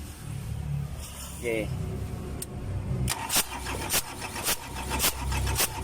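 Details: Mitsubishi Canter 4M50 diesel with hard start and low power problem; slow, even cranking thumps about twice a second drag on for several seconds without catching; hard start, extended cranking.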